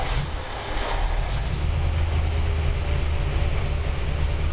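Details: Engine with a Lunati 60140 solid cam, restarted right after the valve lash was adjusted hot from about .010 to .014 in: a deep, even rumble with no lifter clatter standing out. The engine idles smoothly and sounds healthy.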